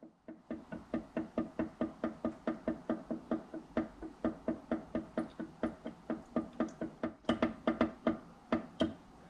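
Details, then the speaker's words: Stopped engine, piston at top dead center, rod rocked with a wrench through the intake: sharp metallic clacks about twice a second from play in the connecting rod big end bearing. "so the noise that you're hearing there is the play in the bottom end bearing"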